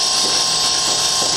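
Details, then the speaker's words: Industrial glycol feed package control panel: feed pump running in hand mode with a steady high whir and constant thin tone; normal operation. "and then I'm gonna bump it, hand, and you hear it clicking, trying to maintain pressure on it."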